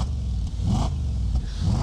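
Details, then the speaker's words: Audi S5 V8 coupe revved at idle: deep throaty burble swelling with quick throttle blips, smooth and even, no knocking; sounds healthy. "that's really cool actually he looks quite happy that looks and sounds Wicked"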